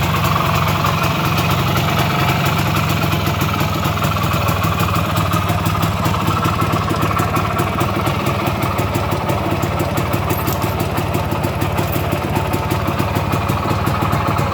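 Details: 1973 IZH Planeta 3 6V two-stroke with new digital ignition (old switch assembly, short-to-ground wiring harness): quick, steady popping idle with even beat, no misses or dying out; idles nicely.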